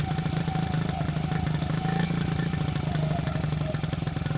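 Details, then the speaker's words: 1974 Honda XR75 small single, idle jet changed 38 to 35, fuel screw at 3/4 turn out, idle screw backed all the way out: fast steady thumping idle with no dip; idling high. "Idling kind of high. By idling it down and it's still wanting to idle up."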